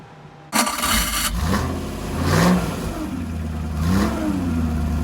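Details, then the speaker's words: Restored 1970-spec Rover P6 3500 V8, rebuilt to standard with improvements, warmed up on a Superflow dyno with timing adjusted, starts cleanly after a short crank and revs smoothly through blips with an even deep note before a full-power run; healthy engine. "So here we go. Let's fire her up. Let's make some noise."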